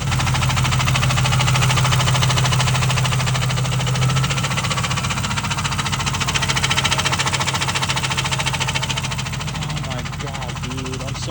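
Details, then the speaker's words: Ford Crown Victoria ex-police car V8 running with a heavy, steady knock at about three to four a second; owner feared a thrown rod and says he blew the motor. Knock attributed to hydrolock. "oh yeah I definitely blew it up I can just feel it dude it's like on fire"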